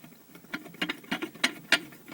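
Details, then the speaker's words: Mitsubishi Pajero 4M40 2.8 turbodiesel, knocking 2000–3000 km after a rebuild, engine disassembled: sharp, uneven metallic clacks about three a second as the balance shaft, loose from a bushing displaced in the block, is rocked by hand. "Я просто хотел показать вам, как стучит балансировочный вал."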